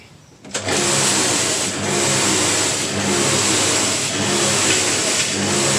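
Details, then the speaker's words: Diesel-heated electric pressure washer, lance connected, pump running: loud steady drone dipping about once a second, uneven surging output from a pressure-side leak. "I saw we had a bit of a pressure leak from the ear so I'll take that back up and then fire it back up again and see if that works"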